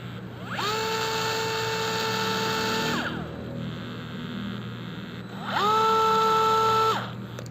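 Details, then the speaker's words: DeWalt DCF682N1 gyroscopic screwdriver running free on a roughly 8 V battery: two short runs of smooth steady whine spinning up, holding even pitch and winding down cleanly; normal free running. "halus ya karena mungkin rpm nya rendah lalu kita akan uji berapa RPM jadi ke kiri maupun ke kanan sama-sama 450 RPM"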